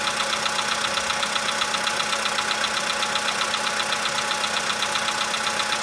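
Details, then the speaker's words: 2015 VW Polo sedan just started cold, engine +5°C, outside −2.5°C: sharp regular quick metallic tick over idle; owner suspects cold valve or hydraulic lifter, unconfirmed. "Ну нет, что-то есть еще. Но оно все меньше такое. Это холодный клапан. Ну не знаю. Гидрокомпенсатор."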